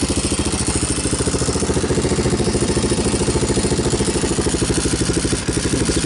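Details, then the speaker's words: 2002 Yamaha Warrior 350 ATV idling after installing a new DG muffler and checking oil: deep, throaty, even single-cylinder thump with no ticks or knocks; runs fine, slight exhaust smoke burning off. "i actually like the sound of it it sounds deeper throatier whatever you want to call it"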